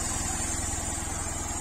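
Fast, even firing held at a raised speed with no stumbles or knocks, the usual high idle right after a cold start.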